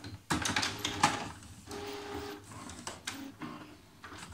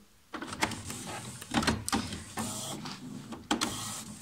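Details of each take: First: HP Photosmart 5520 after service station repair for grinding noise and carriage jam: short whirs and clicks as the carriage and service station cycle at power-up, with no grinding or skipping. Fully fixed. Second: HP Photosmart 5520 printer, service station access switch bypassed: carriage jams toward the rear with rough grinding bursts as it reaches the rear; sheared teeth on the service station rack, causing carriage jam errors.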